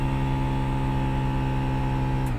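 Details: Toyota Etios AC blower: constant whirring hum with a faint rough undertone until the fan stops; debris in the blower and a choked AC filter cause the noise.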